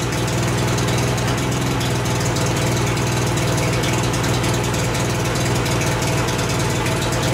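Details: 1988 Mercury 70 hp three-cylinder two-stroke outboard, first start in years with choke: a steady, deep, even idle burble with no misses or knocks; it idles cleanly, though gas later leaks from the middle carburetor.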